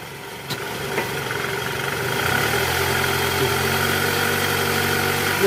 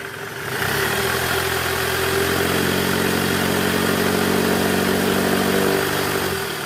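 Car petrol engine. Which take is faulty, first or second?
second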